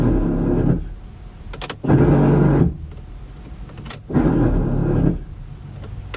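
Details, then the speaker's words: C5 Corvette V8 with one bad headlight motor, heard from inside the car: two short bursts of gritty motor whirr with coarse rattle as the lamp travels up and down; worn, grinding headlight motor gears, fixable with gear repair kit. "Also, it has one bad headlight motor, so it does go up and down most of the time, but from the inside of the car, you can really hear the gears grinding."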